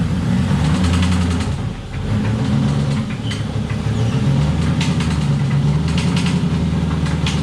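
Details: LS-swapped BMW E36, old 4.8 failed after a hard spin while drifting, possibly oil starvation, metal shavings on dipstick, rod knock suspected, possibly top end: rough, loud low idle with uneven metallic knocking about three per second; engine knock.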